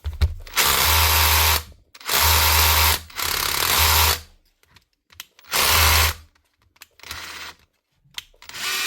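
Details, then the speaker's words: Makita DHR242 18V SDS drill run free, not in concrete: harsh rattling bursts of about a second each; this rough "bag of cats" sound is normal for these drills even when new. "Now these things always sound like a bag of cats, even when brand new. Sound terrible when you run them dry. But that is how they sound."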